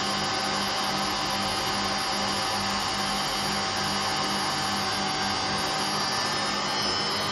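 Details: Hotpoint Aquarius WMA58 washing machine: steady droning hum with a rough hissing roar that never lets up while the drum turns, from bad motor bearings and bad drum bearings.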